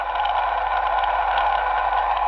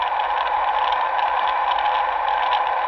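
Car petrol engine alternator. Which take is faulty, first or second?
second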